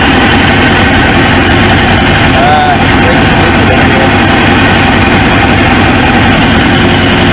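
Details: 1999 Suzuki GSX-R 750, newly installed used engine, restarted after reseating a pinched fuel quick-connect O-ring: steady even idle at constant level, no misses or knocks; running smoothly, owner then suspects an injector O-ring leak.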